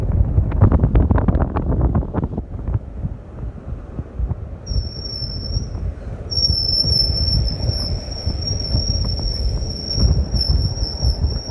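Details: Over a rumbling run, a thin, piercing high-pitched squeal starts, drops out briefly, then holds steady at constant pitch; the Flex is squealing, source undetermined.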